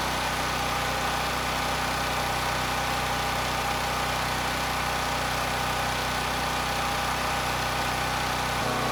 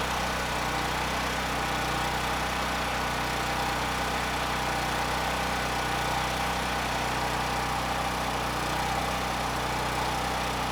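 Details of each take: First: NorthStar 8000 PPG generator with Honda GX390 engine, after carburetor cleaning, running a few minutes with no load: a steady, even hum with no surging or hunting. The governor arm is rock-solid and frequency is stable; normal idle. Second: Honda GX390-powered 8000 PPG brushless generator after carburetor cleaning: steady drone with slight rhythmic rise and fall at no load. Surging is reduced but a mild governor hunt remains.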